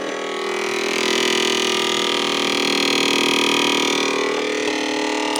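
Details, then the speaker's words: BP Microsystems Silicon Sculptor 3 device programmer just powered up; steady loud high whine with constant buzzy tone, no speed change; fans suspected to need replacing, unit to be taken apart. "okay we are plugged in yeah definitely needs fans can you hear that"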